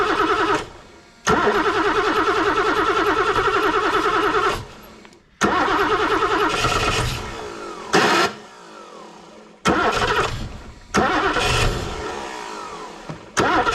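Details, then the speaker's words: BMW E9 3.0 CSi barn find, first start in over 20 years: engine catches and runs only while the starter whirs, dying each time cranking stops; ignition and spark cut out when the starter is released. "the moment I undo the starter the ignition cuts out uh so the moment I get the starter off the ignition goes"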